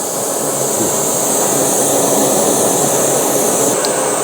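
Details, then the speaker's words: BRS 3000T pocket gas stove, full blast, boiling cold water (8.7°C) indoors at 22.7°C; steady even hissing roar, no sputter; boiled in about 4.5 minutes using 15 g fuel; normal full-power burner. "So I'm gonna crank it full blast, light it, and as soon as I light it, I'm gonna hit start."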